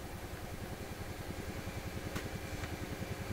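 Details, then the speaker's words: PYE 39HC shortwave broadcast receiver, volume down, untuned, picking up noise: very soft, fast low bum-bum-bum thump about three and a half per second under the hiss; audio stage motorboating, before adding extra capacitor at amplifier input. "What I hear is a very soft bum bum bum bum bum, fast bum bum bum like that."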